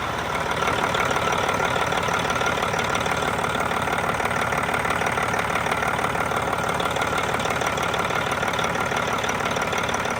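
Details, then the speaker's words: Detroit 60 Series diesel truck idling smoothly with even clatter, no knocks or belt chirp, after fitting replacement Gates belt tensioner; fan clutch not engaged because air line is open. Normal idle. "Well, guys, right now it seems to be working good. Now, there isn't any air pressure applied to the fan engagement yet, to the fan clutch itself, so it's not really trying to spin the fan, and that's because I got an open air line right here."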